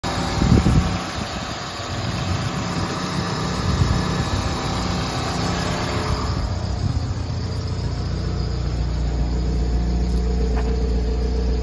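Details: Blown head gasket on a 1999 Chevy Metro: small petrol engine idling with an uneven, lumpy low beat.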